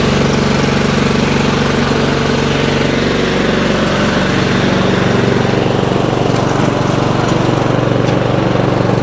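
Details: Craftsman 30-inch riding mower, small single-cylinder engine after cleaning the gummed-up carburetor, started on choke: holds a steady, even beat and settles to a smoother note partway through; running normally, no spark plug needed.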